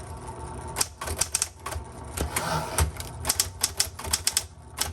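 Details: Late-1960s or early-1970s Penncrest Concord 10 typewriter: crisp, irregular key strikes and carriage clatter in quick bursts, with no hesitation or dragging; typing normally.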